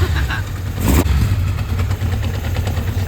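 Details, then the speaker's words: Kawasaki Zephyr 750 four-cylinder at cold idle after coil pack replacement, carbs rebuilt, tick-over not yet adjusted with the airbox off. Steady, low, even burble from all four cylinders with no misses, slightly rough while cold; running healthy. "Sounds chipper. It's a little bit cold, so I'm not going to do anything crazy."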